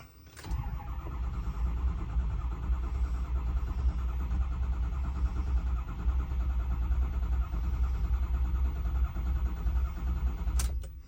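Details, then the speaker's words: Built 6.0 Powerstroke that ran fine earlier, pressure reading about 250 with the engine off: the starter cranks steadily for ten seconds with no firing, the same crank-no-start as before; ICP duty cycle rises to about 84–85%, cause unknown. "So this is the same thing that it has been doing."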